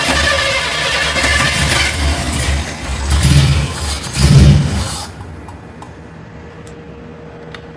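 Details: Chevy with a rebuilt Holley carb and about 7 psi fuel pressure from the regulator: engine catches, runs roughly a few seconds, surges twice, then dies and won't hold idle. A bad carburetor was later judged the cause.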